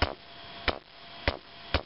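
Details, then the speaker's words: Vintage Electro-Voice SP15A 15" woofer, cone pushed by hand: sharp isolated taps about every half second, with rubbing too; owner suspects the voice coil has broken in half, needing a recone. "I seem to be rubbing too but it's not the only thing going on there's actually some kind of with the momentum of a tap hear"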